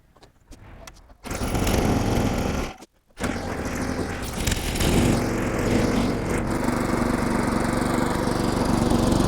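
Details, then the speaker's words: Older Craftsman SnowKing snowblower, revived with a new plug, fresh oil and Sea Foam, carburetor sprayed with starter fluid. After a couple of short pulls the small engine catches and runs steady and even with no misses or surging. Cable needs adjusting. Normal running. "I mean she's running great I gotta do a little adjustments to the cable here"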